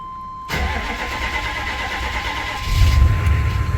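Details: GM 6.5 diesel (GMC/Chevy) just after fuel solenoid replacement: a short crank, then it catches and settles into a steady, even idle, a clean and healthy start.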